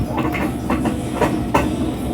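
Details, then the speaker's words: Daewoo Air Bubble 4D 19 kg washer on spin, no fault code, drum swaying: heavy rumble with uneven knocks, louder as speed rises; likely damaged transmission bearings and probably seals. "un golpeteo y baleros va a estar dañada la transmisión de esta Oigan como golpetea"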